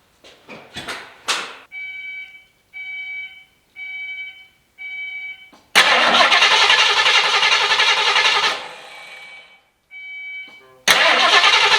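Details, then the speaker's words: Ford Foxbody that didn't run, fuel hose cut so no fuel, oil present: starter turns the engine quickly and evenly with no firing; healthy cranking, no start. "I don't know about y'all, but that sound pretty healthy."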